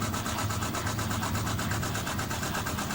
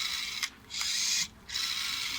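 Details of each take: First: Panasonic NA-FS14G3 EcoNavi top-loader after drain valve replacement for knocking, wobbling and restarting cycles: a steady, even spin with a soft whoosh about three times a second as the clutch engages to limit wobble, no knocking, normal. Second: Panasonic NA-FS14G3 EcoNavi top-loader: small motor buzzes in harsh raspy bursts with clicks, from a jamming drain valve actuator/clutch that resists being pushed in; cause of drum wobble, knocking and cycle restarts; replaced.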